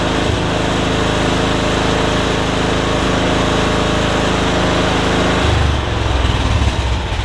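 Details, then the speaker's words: MTD Yard Machines riding mower, no-crank fixed by bending back bent blade lever to close safety switch, parking brake on, blade off; steady starter whir for five seconds, single-cylinder catches and settles into even idle; normal start. "if you have the parking brake down and the the blade it's off those switches should be closed and it should allow you to crank it so here we go"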